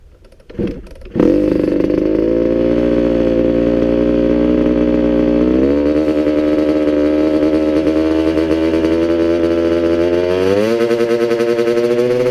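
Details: Restored 1985 Kawasaki KX125 two-stroke after engine build, cylinder and rings heavily oiled: crisp, even ring-ding that steps up twice instead of dropping. Sounds good overall, but idle is set too high.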